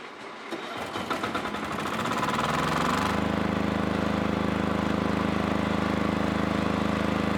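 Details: 5 kW generator after a full service, including a change of 2 litres of dirty, blackened oil for grade 40 oil. It starts, revs climb over a few seconds, then holds a steady, even hum with no misses or rattles. Runs healthy.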